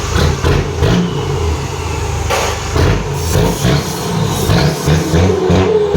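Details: Freshly assembled exhaust with a new flange and gasket, checked for leaks before any welding: engine catches and is blipped repeatedly, and the note rises and falls cleanly with no puffing or ticking. Sealed, normal exhaust.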